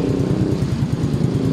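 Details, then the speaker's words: Engine about 35,000 km after its last rebuild, customer wants a refresh (rings and valves to be checked): very quiet, low, smooth, even putter at idle with no knocking, clatter or whine; sounds healthy, normal idle. "Okay naman tahimik naman oh. Napakatahimik."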